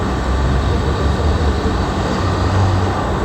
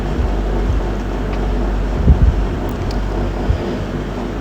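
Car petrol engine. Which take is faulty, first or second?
second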